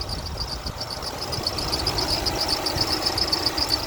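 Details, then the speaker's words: 2006 Toyota Tundra SR5 RWD 4.7L V8 DOHC VVT-i, 5-speed automatic, 233,484 miles, under-hood at idle: high thin chirping squeal from a squeaky belt; otherwise no ticking or missing heard. "Everything sounds good besides that squeaky belt down there. Don't hear any kind of uh ticking or doesn't seem like it's missing or anything."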